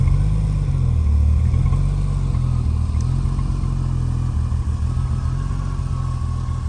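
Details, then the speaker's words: 1988 Jaguar XJS 5-speed manual TWR tribute: deep, even, slightly freer exhaust rumble swelling with throttle, no rattles or blowing; intermediate mufflers deleted, cats retained. Normal exhaust rumble. "You can hear it's got a nice little rumble to it. Not obnoxious, but certainly much nicer than stock. The intermediate mufflers have been deleted from this car."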